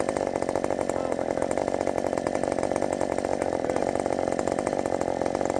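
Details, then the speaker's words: Redmax 5000 chainsaw with a wide-open exhaust port muffler mod, cutting at full throttle: high, steady two-stroke scream holding firm without bogging; pulling strong and faster. "it's definitely faster I is definitely faster than the um Thunder kitten that's blazing finally I think we got there"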